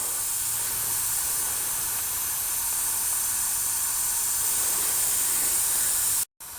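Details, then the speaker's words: Slowly leaking tire with very small puncture: steady high airy hiss with no engine, constant level, air blowing out before plug repair. "just so you can see air is really blowing right now okay i don't know if you can hear that but it's blowing pretty good"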